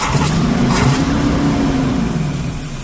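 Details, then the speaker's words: Motorhome engine after carburetor base gasket sealed against an air leak, distributor timing set, and mixture adjusted: picks up cleanly, holds an even hum, settles back without stumbling or popping; much better than before. "well she sounds pretty good a lot better than what she did"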